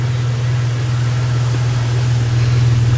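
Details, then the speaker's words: Truck engine after head gasket replacement, idling with a steady, even low rumble and no fluctuation or shaking, where before it ran rough. Assembly lubricants are still burning off. "the idol is good right it's not shaking the truck is not checking before it was shaking it was rough"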